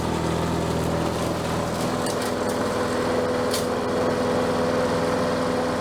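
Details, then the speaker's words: Bolens 22-inch self-propelled mower, just got running: steady small single-cylinder putter at even throttle, no knocks or misses; running as it should, self-propel working. "think it sounds good what do you think"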